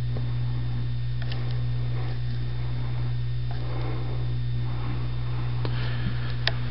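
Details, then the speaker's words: Red Air Cool 52" five-blade ceiling fan, July 1987, just fitted with a new capacitor: on low speed a steady low electrical hum under the soft fan whir; motor still hums a little. "okay I'm going to turn the fan on start out on low I just put a new uh capacitor in it so it shouldn't hum as much"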